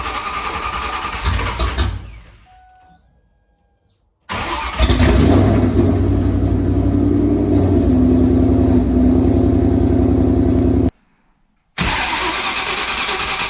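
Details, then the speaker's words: Ford Mustang GT V8 cold-started at about 45°F after sitting four months: lumpy, uneven idle with a wavering beat. Owner suspects a misfire, possibly a coil pack. "it sounds like she might have a little bit of maybe a coil pack or something"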